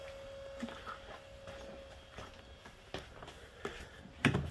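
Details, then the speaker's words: Meziere electric water pump on a 4.6 3V Mustang, relay-powered with key on: faint, steady mid-pitched hum under a few light clicks in a quiet bay; pump running normally after install. "all right so I hear the pump running so that's good news"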